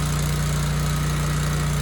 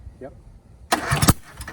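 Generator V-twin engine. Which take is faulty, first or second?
second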